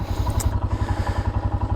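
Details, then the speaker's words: Royal Enfield Himalayan single-cylinder idling the day after a valve adjustment; steady beat about three pulses a second with light ticking over the exhaust. Owner says it sounds the same, possibly quieter, and attributes the extra valve train noise to the cams, as others report. "So I think just that noise, which other people have reported, they just make more valve train noise after putting these cams in them."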